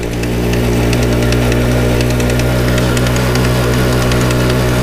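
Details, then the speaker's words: GasGas two-stroke motorcycle in first gear, not accelerating, after a valve-opening system screw fell into the bottom end toward the gearbox. Light, irregular tapping over a steady idle, not following throttle; owner believes it comes from the engine. Source unconfirmed. "en première voilà c'est un bruit qui me rassure pas du tout puisque cela vienne du moteur"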